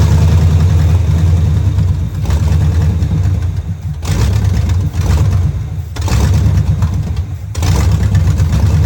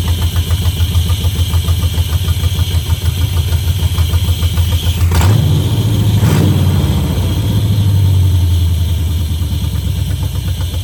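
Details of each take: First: 1971 Camaro Z/28 barn find, after distributor, plug wires and fuel lines were replaced, running off a temporary fuel can: low lumpy V8 burble that sags and surges every couple of seconds; rough running, carburetor judged junk and needing cleaning. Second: 1971 Chevrolet Camaro Z/28 V8 barn find: starts right up, steady even idle with clean throttle blips that rise and settle; normal start and idle.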